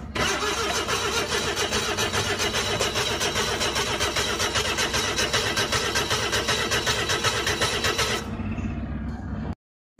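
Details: Flood-damaged Suzuki DA64V van, petrol engine: long, steady cranking at an even beat for about eight seconds with no firing; turns over but won't start. Cause suspected, not confirmed.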